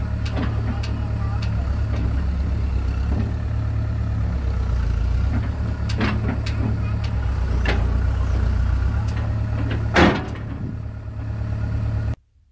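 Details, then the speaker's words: John Deere 490E excavator with Hitachi hydraulic pump, computer bypassed, before limp mode; steady diesel drone sags as hydraulics take load, choking down on swing and bogging easily with a loaded bucket. "so you can see without much of a load on it it does okay you can still kind of be a little easy on it but when you go to swing it'll really choke it down but when you're digging with it if you if you're putting you know a good load in the bucket it'll it'll bog down real easy"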